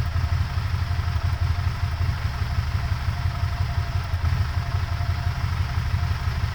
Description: Still idling rough after purge valve replacement.